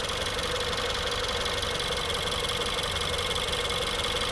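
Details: 2016 Ford 1.6L EcoBoost GDI, back with a comeback misfire: smooth, even idle with steady hum, no stumble or skip in firing rhythm; power balance test looks great.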